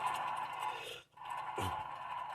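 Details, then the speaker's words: 1998 Toyota Corolla 1.8 L: rough, gritty whirring growl as a worn wheel bearing, a press-in type, is spun lightly by hand; the other side may also need replacing. "now I'm just spinning this lightly here imagine that with all the weight of this vehicle the torque of the axle and doing like 10 billion revolutions per second how loud that thing would be"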